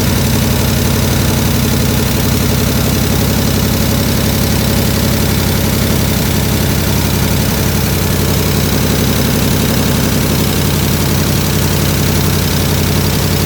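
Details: 1967 IH Loadstar 1600 shop truck V8 during overhaul: loud, deep, steady idle with even pulse, no hiss or hunting, running a lot better, slight tapping suspected from exhaust; normal idle.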